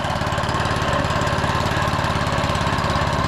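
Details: Lawn mower never run before, on idle with broken throttle/choke cable after a carb spray: small single-cylinder buzzing at a steady, even beat with no misses or knocks; normal running.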